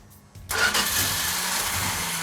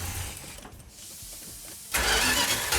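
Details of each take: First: Newly built 1972 Plymouth Duster 340 V8 on first start, cold: quiet, then the starter churns with a steady whirr but no firing beats; cranking without starting because there is no fuel yet, cranking to let fuel pressure build. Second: Newly built 1972 Plymouth Duster 340 V8, no primer fuel, choke held and timing advanced: quiet cranking, then the V8 catches sharply and settles into a steady, even lumpy idle with no misses; a healthy start.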